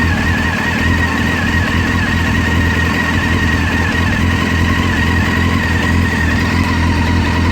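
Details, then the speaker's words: 2001 Honda CBR600 F4i four-cylinder at startup and idle: light clicking mixed into the engine note, cause unknown. Owner also reports occasional knocks when accelerating from neutral into first gear. "Alright, so this is the startup for the 2001 F4i. You can hear the clicking noises as it starts up, I believe."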